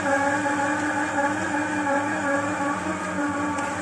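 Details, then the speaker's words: Chevrolet Opala petrol engine, rebuilt less than 5,000 km ago, running steadily with an odd slightly uneven pulsing hum and tonal whir; the cause is unknown to the owner. "opala foi feito motor tá tá com esse barulho estranho aqui ó esse barulho"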